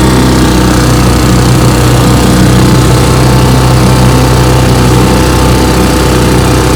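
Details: 1958 Johnson 3 HP JW14 two-stroke outboard, fully restored with a rebuilt magneto and lower unit, warm, pushing a boat about 5 mph: a steady, even-pitched buzz with no misses or surging, running cleanly.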